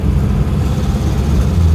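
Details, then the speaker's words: 1970 Mercedes-Benz 280SE with new thermostat, water pump and heater crossover hose, on a test drive: low even idle rumble with no tapping or knocking. Oil pressure slightly low at idle, possibly the sensor, but the engine sounds fine. "it ain't knocking. It's fine."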